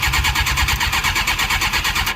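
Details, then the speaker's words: Suzuki GSX-R 600 SRAD that sat for years: fast, even starter cranking with steady compression pulses, good compression but it won't start; it later ran after priming and starting fluid. "What cranks? Yeah, it cranks pretty good. Start. It's got really good compression. It almost tried."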